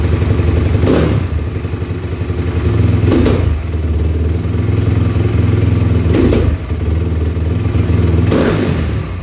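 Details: 2007 Honda CRF250R at about 7200 ft, 45 pilot jet, JD high-altitude kit (red needle, fourth clip), Boyesen QS3, fuel screw about 2 turns out; idling single with four sharp throttle snaps, each hesitating briefly, a bog after accelerator pump timing was adjusted.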